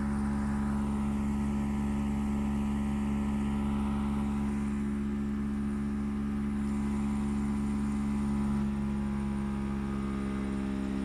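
Constant loud droning hum at one pitch throughout, no rhythm or grinding; abnormally loud running, cause unknown.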